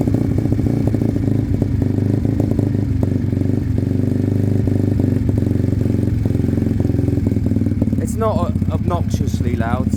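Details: Sinnis Cruisestar with a new aftermarket exhaust, cold idle on choke: a sharp puffing tick on each firing pulse, as the pipe is loose and not sealed at the head despite shims.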